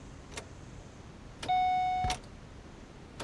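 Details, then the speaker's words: Pontiac G8 after the newly programmed key-fob chip killed the engine; quiet cabin, then a steady mid-pitched chime about half a second long, repeating, while the car refuses to restart: warning chime, engine will not restart. "So it killed the car. Let's see if we can figure out why."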